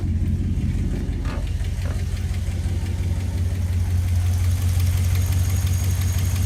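A fast, even tick rides over a steady low idle on a hot restart, pointing to a top-end or valvetrain tick.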